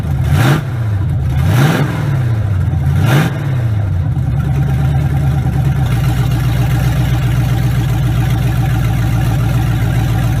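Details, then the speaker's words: 1967 Chevrolet C10, first official start, fuel pressure checked: cranks and catches after a few revving blips, then settles into a steady, even low idle with no knocks; healthy start. "It's been giving us a little bit of fits, but that sounded good, didn't it? She's up and rolling."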